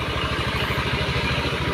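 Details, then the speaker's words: Honda Beat eSP scooter before repair, heavily smoking with wet black oily exhaust: rough, lumpy idle with clattery pulse. Worn piston rings. "Ini dengan kendala yaitu suara sedikit kasar ya bagian mesin, dan di bagian knalpot itu basah ya."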